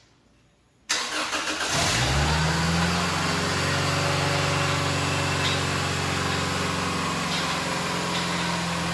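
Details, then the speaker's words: 1973 VW Bus with a Subaru EJ25 swapped from a Legacy, start after wiring the starter switch input: a short crank, then a steady idle sitting slightly high, firing smoothly on all cylinders; smoke is believed to be from dripped coolant. "the idle is a little high but I don't think that's a big deal sounds like it's firing fine right now"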